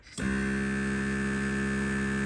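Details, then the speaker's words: Martech air suspension compressor on a VW Crafter/Mercedes Sprinter campervan, after sound deadening was added to its cover but before the carpet is refitted: starts cleanly and holds a low, steady, even hum for about two seconds, then stops; running normally and fairly quietly. "it's not too bad. And then when I get all the carpet and that back on, that'd be a lot better."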